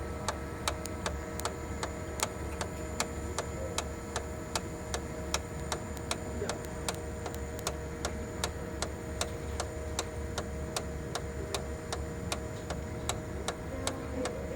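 Sharp, regular ticking about two and a half times a second over a quiet running hum; worn fuser drive gears and bearings.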